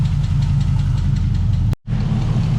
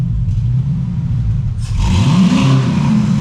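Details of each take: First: LS-swapped Trans Am first start after sitting a long time, block-off plate fitted; light even lifter/valvetrain ticking over a rough V8 idle that fades as oil pressure comes up. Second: Pontiac Trans Am with LS swap, long-sitting, new Black Widow exhaust and block-off plate: two clean rev blips rise and fall over deep even rumble, tick going away as oil pressure builds, no knock; healthy revving.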